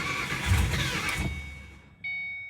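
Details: 2006 Mustang GT V8 after a driveway rebuild with mods and a new tune, start try number 3. It cranks and briefly stumbles toward catching, then dies and won't keep running.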